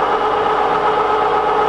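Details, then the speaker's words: Bronx (UK) 31P86 2500mm x 19mm mechanical plate rolls, motorized raise/lower of back pinch roller running: steady even electric motor hum, clean mid-pitched tone, no knocks or grinding; control working well, sounds really nice. "that's a nice up and down control that's working well and everything sounds really nice in that workings of that back pinch roller there as well"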